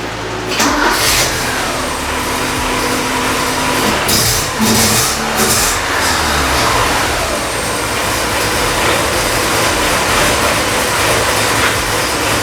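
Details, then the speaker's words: BMW 2002 or Porsche 944 after exhaust repair welds (exhaust previously rattling): engine settles into a steady, even run with throttle blips and no exhaust rattle; normal running, fix confirmed. "so that definitely fixed"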